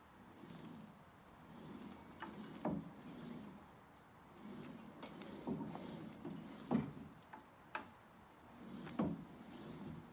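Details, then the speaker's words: New True M50 elliptical with irregular soft knocks roughly every second or two under a quiet whir as the stride turns; something loose moving inside, felt through the feet. "the knocking. Something's moving around in there. I can feel it in my feet."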